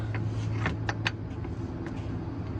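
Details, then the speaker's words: MCI MC9 bus: pressing start gives only single sharp clicks with no cranking, ongoing for about a week; starter motor faulty, later replaced with a modern gear-reduction starter. "uh so basically I hit the start button and I just get clicks"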